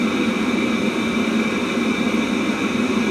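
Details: Webasto Thermo Top C auxiliary heater from a BMW E60, bench-run after repair showing no errors with temperature rising. Constant smooth burner roar, steady fan hum and faint high tones, no sputter or surging; runs normally.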